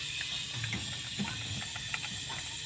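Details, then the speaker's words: Plymouth that will not start after rebuild, cylinder holding about 70-something psi on leak-down/compression test, steady hiss of escaping air with faint clicks; air leaking past piston rings. "kay so we got it into the leaking a little bit lower and it's actually holding up to 70 something and it's leaking out of here you can hear that so the Rings are leaking"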